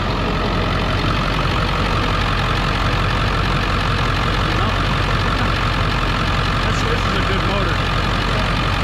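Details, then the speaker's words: Auction-bought work truck, slight oil pan drip and possible valley leak, which drove fine and shifted through all gears; steady, even clatter ticking over at constant speed with no misses or knocks, a healthy idle. "it's got a slight drip off the back of the oil pan but uh it starts right up and it drove fine"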